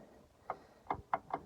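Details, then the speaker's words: Dodge Caravan (Chrysler Voyager) 2.4 petrol, 151 hp, A604 automatic, engine off, flexplate rocked by hand after unbolting from converter: five sharp dry clicks in about a second; flexplate cracked around crankshaft bolts, causing a loud knock when driving, heard underneath near cylinder 4. "І цей звук при їзді був дуже громкий. Ну, короче, понятно було, що якась проблема. Ну, те, що він так тріпається, це нехорошо."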